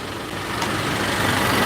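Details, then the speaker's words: 2017 Honda Accord after replacing rattling alternator decoupler pulley clutch: steady, even idle hum with no rattle or chirp riding on it; normal idle, noise gone. "So, now what I'm going to do is I'm going to fire it up and make sure that that noise went away. [Music] So far so good."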